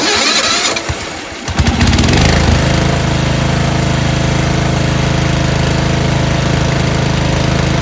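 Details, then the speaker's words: Yard Machines 38-inch riding mower, Tecumseh 13.5 HP, repaired after slow-crank no-start, oil full and clean: short crank, fires within about a second, settles into a steady even idle; normal start and idle. "this thing runs great starts right up now uh"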